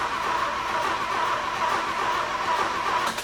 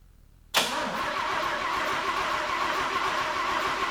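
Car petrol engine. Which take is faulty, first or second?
second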